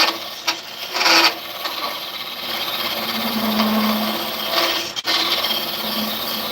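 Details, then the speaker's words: Wood lathe: a rough, rasping cut with bursts of high chatter as the gouge works too far out past the tool rest; the excessive overhang is causing the tool chatter. "you hear it chattering it's because I think I'm beyond what my working places and I don't want that"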